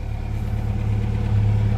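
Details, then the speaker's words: 1989 Chevy S10 pickup, just revived, still cold, 40 psi oil pressure: low, even idle with steady pulse, no knocks, ticks or misses, slight swell; running smooth. "We got oil pressure. Fired right up. Running smooth."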